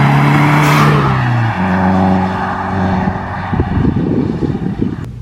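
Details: Subaru WRX, Tomei manifold, DW300 pump and DeatschWerks inline filter, after power loss; swapped back to stock coil packs, regapped plugs, new MAF and connector: strong, smooth pull with clean gear change, no stutter or cut-out; owner suspects the aftermarket coils needed a tune.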